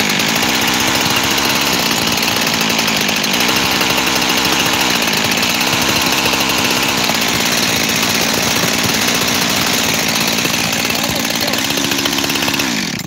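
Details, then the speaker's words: Freshly rebuilt 372 X-Torq saw buzzes high and uneven, its idle hunting. The base gasket was sealed with 1184 and seems good, but spraying the cover nearly stalls it, so the owner suspects an air leak there. "I can almost kill it by spraying on that cover there. I think it's the cover. I do. So it really seems to be the only place that's holding me back."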